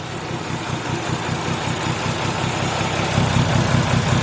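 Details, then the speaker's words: Nissan R33 Skyline with a missing cylinder, tested by swapping coil packs and spark plugs between cylinders one and four. The idle has an uneven, lumpy beat, about two and a half stumbles a second. Misfire, likely from a bad spark plug. "i think that coil pack may be dead oh no definitely made a difference with that ball pack"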